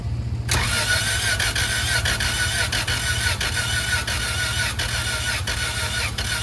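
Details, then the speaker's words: Integra engine from a parted-out car, freshly started with the header fitted: runs harsh with loud sharp puffing ticks over a hissy roar, first sounding like a blown rod. Owner suspects a dented or cracked header; possible exhaust manifold leak. "When I started it, it sounded so bad, like I just blew a rod or something. But with this header, I don't know why, it just decided to change everything about itself."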